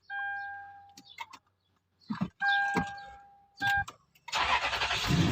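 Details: 2010 Toyota Land Cruiser after a security-related no-start repair, with a small fuse refitted after showing its removal prevents starting: dash chimes, short crank, engine catches right away and runs evenly; starts normally.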